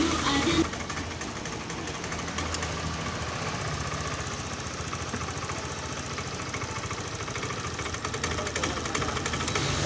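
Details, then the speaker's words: Honda Scoopy scooter that sputters and stalls when throttled: ragged, stuttering firing that breaks up unevenly under throttle; fuel pump pressure is below 40, and the planned fix is replacing the fuel pump rotor and filter. "Ini kalau digas dia brebet teman-teman, langsung mati. Ini ya teman-teman, kedengaran berobat sekali."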